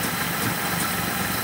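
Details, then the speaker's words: 1970 BMW 2800 CS (E9) coupe, stored untouched for 38 years, first start after checks: fires easily and settles into a smooth, even idle with a steady low rumble, no misses, knocks or ticks; normal idle. "no way no way no way that is not fake I cannot believe how easily that just that's ridiculous"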